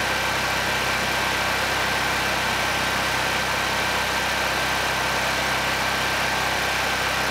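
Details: Honeywell HW5500 5500-watt generator, 337cc engine, after fitting new Hipa carburetor, replacement tank and old gaskets (insulator issue found); constant, even engine hum with no surging, misses or knocks — normal running.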